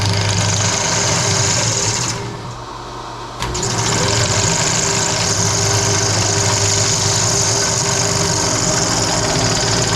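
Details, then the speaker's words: 20-inch Clausing drill press on low speed after new spindle bearings, with a phase converter running in the background: steady hiss and scraping over a low hum with no more hammering, but rubbing from the back pulley that is suspected to be the belt rather than the motor bearing. "forward well it is slightly quieter sounds like there's a lot of rubbing back here well at least up here doesn't sound like a bag of hammers anymore"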